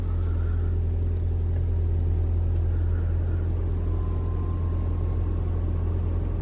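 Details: 2021 Toyota RAV4 Prime SE in hybrid mode, climate on auto with AC on: steady low engine drone with even firing, no heat pump whine or drone on top; running normally.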